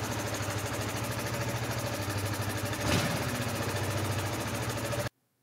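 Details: Jonway Master 250 scooter (a Chinese copy of the Honda Foresight), bought back after 15 years: a quick, even idle with a steady beat right after starting and no knocks or misses. Normal idle.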